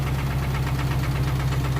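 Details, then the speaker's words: 1992 Honda Accord with a stock JDM H22A, GT3582 turbo, on 93 pump gas: steady run with a regular light knock of about four per second; origin unknown, the fuel is checked good, and the stock motor is suspected done. "I really don't know what what's going on with that motor with that sound and knocking I mean it sound like I know what an engine knock sounds like but it's it's almost weird like it kind of goes away a little bit when I push the c"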